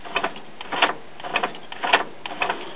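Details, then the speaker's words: Denon commercial-grade CD player/cassette recorder (Japan, December 2001) after belt refit and an epoxied homemade pin holding a gear: irregular whirring motor bursts with clicks about once a second, tray hanging up mid-travel; gear suspected to have slipped out of place. "So let's go put it back in the CD player and see what happens. And now something's hanging the tray up."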